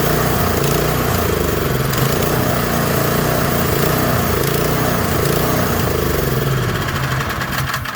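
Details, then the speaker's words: Troy-Bilt Squall 210 snow blower (31A-2M5E711) that sat with fuel in it and starts but dies: runs loud and ragged with uneven pulsing, then fades out and dies. It seems to stay running only on full choke; bad fuel or gummed carburetor suspected. "So it seems like this thing will probably stay running on full choke if I had to guess at this point. It kind of seemed like it'd stay running."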